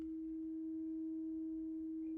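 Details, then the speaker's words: Klipsch SW-450 subwoofer (no-power fault), woofer removed and driven directly with a 4 V peak-to-peak low-frequency test tone: clean, steady hum without buzz or rattle; woofer and coil are fine, fault suspected in the amp. "you know we're getting into those Bassy tones now it's more baritone hopefully that's picking up so I don't think the issues with the speaker are on that output"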